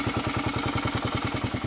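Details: 1997 KLR 650 single cylinder idling evenly at about eight beats a second with a light clatter on each beat, noticed after a valve adjustment set to the large end of spec and an oil change; cause unknown.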